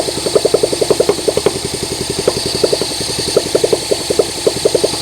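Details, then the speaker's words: Honda SL125 single, long-sitting engine just freed from seizure, start attempt on another battery: uneven bursts of firing with gaps, catches and stumbles but never holds idle; idle then adjusted up, cause not confirmed. "Come on. Oh, it wants to."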